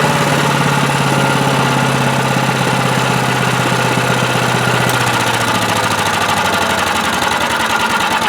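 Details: Predator (Harbor Freight) chipper/shredder with a 212cc gasoline Honda-clone engine that would not start and was found very low on oil. Choke-started with the throttle near high, it holds a steady, even beat with no misses; runs normally.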